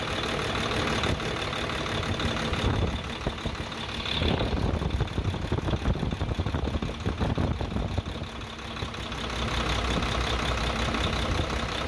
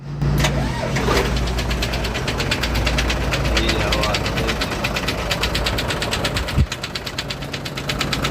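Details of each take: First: Hino truck HO7D diesel after repair of a broken piston liner that caused a sudden engine noise: steady, even idle with a low regular beat and no knocking; engine now sounds clear and healthy. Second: Hino truck HO7D diesel with sudden engine noise and oil from the silencer: rough idle with hard, uneven knocking over a heavy low rumble; teardown found broken cylinder liners and a damaged piston.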